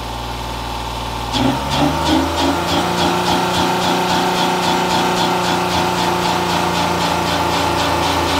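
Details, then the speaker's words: 2016 Honda Pilot 3.5 L with DTC P2652 and the check engine light on, engine just started: it settles into a fast, steady idle that stays high while the rocker arm oil pressure switch voltage bounces between 6 and 10 volts; a rocker arm oil pressure switch circuit fault. "so the engine is running the idle is very high so our voltage is bouncing around"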